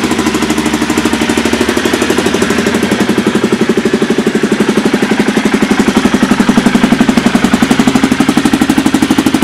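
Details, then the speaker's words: 2000 Aprilia Pegaso single idling in the shop after fitting a DG oval KLR 650 exhaust can with a custom midpipe: a loud, even, throaty thumping at about four beats per second, a healthy, steady normal idle. "it's a lot more throy you can tell probably getting a little reverberation here in the shop but it sounds like a beast"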